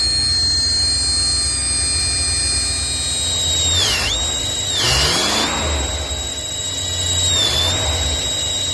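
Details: Ford F250: a steady high-pitched squeal under the bonnet rides over the engine hum and dips briefly in pitch a few times; source unconfirmed.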